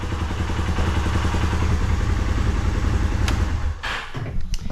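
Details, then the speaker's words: 2016 Polaris Ranger 570 running after new spark plug fixed no-start, oil slightly low: catches straight away, steady even low chug about 3.5 beats a second, no misfire; normal running. "we can check and see here if this is gonna start with the new spark plug and i think that was our main issue for the no start"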